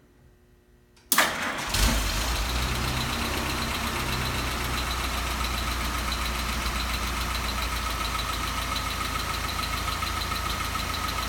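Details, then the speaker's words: Restored 1942 Ford GPW 6-volt Jeep, first start of morning at 50–55°F after slow-crank starting circuit fix with added solenoid; little choke, one pump: a second of cranking catches cleanly, steady even idle set slightly high for winter. "got the idol a little high because it's winter fun and we'd rather have it"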